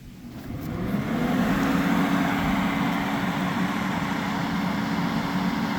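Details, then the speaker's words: Auctioned ex-rental propane-fired portable heater on first test: fan spins to a steady hum and airy rush with no ignition whoomp, blowing cold because the thermostat was set too low, then lights and heats once the rear thermostat is adjusted. "come on it's blowing right now it's not trying to light now it's heating yeah I just had to come to the back and adjust the thermostat"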